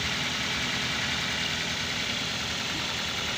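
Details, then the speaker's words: Used car engine check: steady idle, even hum with no stumbles or limping, no "krok krok" knock that would indicate metal bearing problems; normal idle. "jadi suaranya harus normal Ya teman-teman normal enggak pincang"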